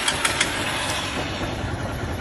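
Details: 150 motorcycle that wouldn't start on the electric starter, relay burned, fixed by grounding at the neutral/clutch sensor wire: a few starter clicks, then the single settles into a steady, even idle with no misses; starts and runs fine.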